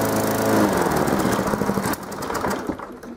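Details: Small single-cylinder lawnmower, after fuel cleaning, a new spark plug and priming to cure hard starting, fires and runs with a quick, fairly even beat before winding down, pulling cleanly with no stumbling.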